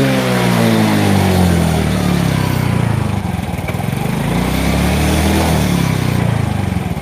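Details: Yamaha Mio J fuel-injected scooter after swapping in an injector borrowed from another bike (original injector tested normal on the tool but suspected): revs rise and fall smoothly and evenly, no stumble or hesitation; normal free revving.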